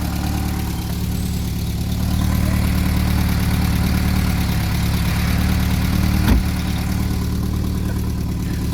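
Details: Classic VW Scirocco Scala after sitting 6 years, first start: steady, fairly even low idle with slight lope, no knocks or ticks; runs on its own, some oil smoke smelled.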